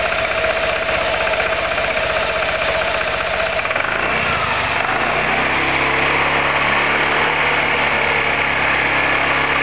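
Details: Roketa MC-54-250B scooter, 1730 miles since July 2008, stalls at every stop. Revving engine drops off sharply near four seconds into an uneven, stumbling idle. Cause: intake and exhaust valves had zero gap at TDC; fixed by valve adjustment.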